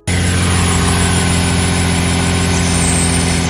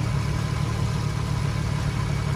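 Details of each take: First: Nissan 350Z with VQ35HR engine at idle before the serpentine belt is replaced: a thin, persistent squeal rides over the engine note as the worn main belt slips; it is due for replacement. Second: Nissan 350Z VQ35HR V6 after serpentine belt replacement; smooth steady low hum at idle with no squeal or chirp, much quieter than before; belt drive healthy.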